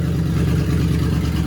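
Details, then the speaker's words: 1955 Ford F1000 rat rod V8, cold, just after an intake replacement: a deep, steady burble with an even lumpy pulse, no ticking, knocking or leaks, so it is idling normally. "Oh, yeah. Oh, it sounds good, baby."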